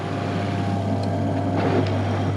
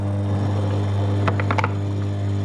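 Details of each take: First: Toilet macerator pump at a bed and breakfast, after removing two components that caused rattling, likely including a lid chopped in half inside: smooth, even motor hum with a steady low drone and no rattle or knocking; running cleanly after repair. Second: Toilet macerator after a dropped object was cleared once: steady motor hum with irregular sharp knocks and rattles; another foreign object still caught inside the macerator chamber.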